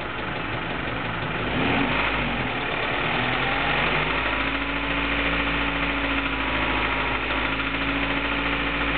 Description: James' (aka Jacques) Honda Prelude SH knocking sound from motor at 1500 rpm.